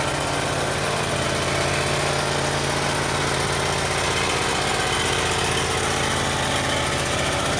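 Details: Yamaha EF12000DE generator, 22 hp twin, fresh fuel, auto choke: lumpy pulsing drone with uneven beat, seems to run on one cylinder; uneven running, cause suspected.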